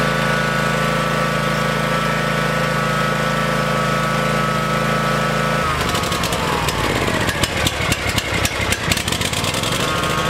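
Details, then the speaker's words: Kawasaki engine on a Cub Cadet mower: after a steady drone it runs uneven and stumbling with irregular chuffs, over-rich because the plastic choke shaft sticks and the spring-return choke lever stays on. "that lever when you take the choke off it's supposed to go back down it's got a little spring on it to help it but it's stuck now let me fire up the tractor and you'll hear"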